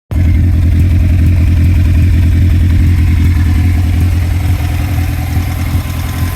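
Lumpy, uneven idle with a recurring stumble in the low thump, roughly two to three a second; sounds like one cylinder misfiring.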